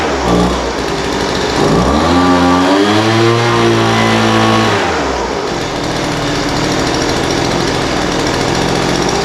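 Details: Poulan Pro 200 mph two-stroke leaf blower, received as a non-runner, after carburetor adjustment: idle mixture leaned out from too rich and top end tuned. Picks up crisply, holds a clean high rev, then settles back to a steady idle without stumbling; running well.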